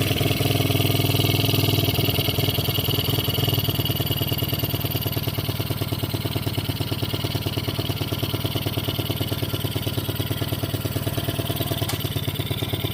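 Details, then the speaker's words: 110cc kids quad revived after 2+ years sitting outside, carb cleaned but leaking: low even thumping idle near two beats a second that never climbs; won't rev, owner suspects the throttle stop screw, to be backed out. "I'm pretty sure I discovered why it won't rev up right down here that screw that is the throttle stop back that little screwing nut out all the way and then we can rev It Up"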